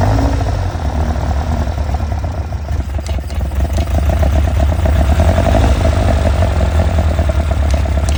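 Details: Caterham Seven twin-cam on Weber carburetors, tuned race engine, started with manifold vacuum gauge fitted: steady fast idle, busy low drone, even patter about three beats a second; high idle, vacuum under 18 inches.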